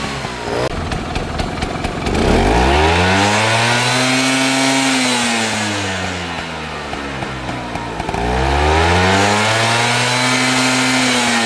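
Two-stroke scooter engine revving up and down with a dry metallic rattle riding over it, worst as revs fall: piston slap.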